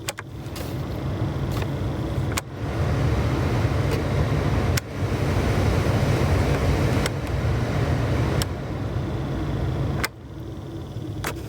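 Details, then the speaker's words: 2002 Jeep Liberty (KJ) with blower working only on high speed, tested after replacing the blower motor resistor: fan steps up and down through every speed with a click at each switch; blower now works normally at all speeds. "now before we put everything back together what we'll do here is we'll just give it a test real quick already we can hear the blower motor turning"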